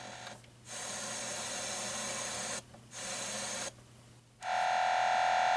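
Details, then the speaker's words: Sony ICF-CD853L CD clock radio (circa 2002-03) on radio mode near router and computers: hiss cutting in and out in bursts, then a thin steady whistle over it; interference, source unknown. "that's a really weird noise i don't know what that is"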